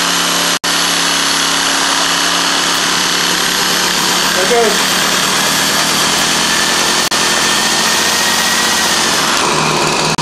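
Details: Trimmer that sat six months in freezing Utah weather, carburetor blamed, started with a reversible drill spinning the starter in reverse: a steady, high two-stroke buzz holds even speed with no stumbling or surging; it is running normally.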